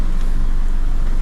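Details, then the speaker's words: Isuzu D-Max iTEQ diesel idling just after start with the clutch released: heavy, rough, uneven rumble that eases slightly when the clutch pedal is pressed and returns on release. Cause found to be a loose clutch disc chattering. "bila kita Takan pedch kan dia punya Bui pandai sikit bila kita lepas kasar balik punya bunyilah kita dengarlah macam mana dia punya bunyi"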